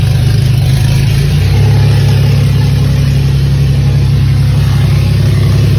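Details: Pontiac Grand Prix at idle: deep, even, steady low throb with no misses or knocks, running healthy on all six cylinders.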